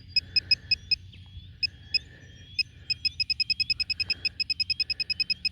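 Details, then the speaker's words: Metal detecting pinpointer in the dug hole: sharp high chirps, scattered at first, then a fast even run of about three per second as the probe closes on the target, a normal proximity chirp. "okay we're a lot closer now you can hear the hear the chirp this is where my screwdriver comes in"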